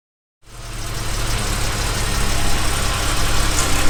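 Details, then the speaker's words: 1978 Jaguar XJ6 Series 2 barn find, just started after fitting a new water pump, with the intake airbox not yet fitted: a steady, even low idle with no rattle, running like a kitten. "there we go just sitting ping like a kitten"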